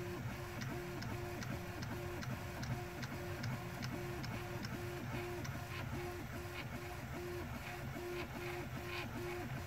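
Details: Prusa 3D printer after lifting it: even stepping motor tones and light rhythmic ticking, clicking noise gone; running normally.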